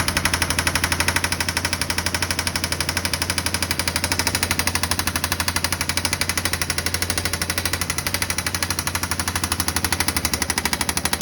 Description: 2016 Yamaha Viking EPS engine knocking. What could be the issue?